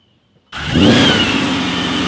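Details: Paxton-supercharged Ford 5.0 V8, first startup after installing replacement ported Boss intake manifold (previous one cracked, caused vacuum leak and rough idle): fires instantly, flares, settles to even steady idle with no hunting or stumble; healthy.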